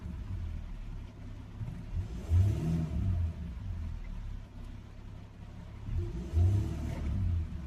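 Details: Jaguar XF V6 diesel after repair of the cylinder 1 misfire (P0301): deep steady idle with two clean throttle blips rising and settling smoothly, no warning lights except seatbelt and parking; healthy engine.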